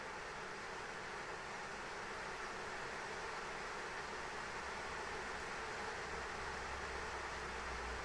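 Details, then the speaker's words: ASUS ROG Strix RTX 3090 graphics card in XTIA case during Time Spy benchmark, fans ramping to 100% while holding 77–79°C at about 1950 MHz GPU clock; loud steady rushing air drowning out coil whine, fans at full speed from overheating. "the fans are so loud you can't even hear the coil one so you know yeah this thing's just ramping up to 100% fan speed man like this thing is just really just trying to move all the heat he can it's holding 77 Dees 79 degre C right now"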